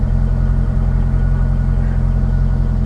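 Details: Salvage-title C5 Corvette V8 at idle before oil pressure switch/sending unit replacement: a smooth, even, steady low burble with no knocking or ticking. The gauge is erratic (pegging at 80, crashing, reading 102), but the engine sounds healthy, pointing to a failing sender.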